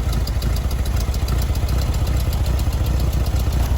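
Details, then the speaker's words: 1973 VW Beetle air-cooled engine idling just after its first start in over 10 years, on fresh fuel and a new battery: an even, steady low putter with regular beats and no knocks or misses; normal idle. "I can't believe how easy that was considering the fact that this car hasn't run in years great news we've got a solid engine and listen to that sound it sounds"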